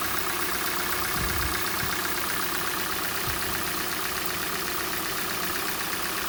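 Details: Hyundai/Kia G4NA petrol engine on cold start: light, fast tapping about four a second runs steadily under the idle; the knock fades as the engine warms up; cause unclear.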